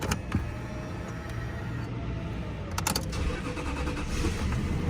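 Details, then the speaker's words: 1990 Toyota Crown Royal Saloon V8, 46,000 original km: starter whirs briefly, engine catches cleanly and settles to an even low idle; fires up with no problem; normal start. "up with no problem 46 000 original kilometers"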